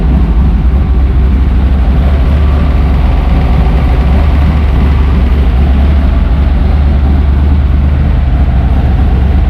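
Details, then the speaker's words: 1977 Pontiac Trans Am V8 at idle with max AC, compressor engaged, new custom idle stop solenoid and 12-inch condenser fan fitted to prevent AC-on stalling; steady even rumble without dips, idle holding firm; idle stop may need a little adjustment. "Yep, fans going good. And idle stop is working. Yeah. Probably take a little adjustment, but it's working."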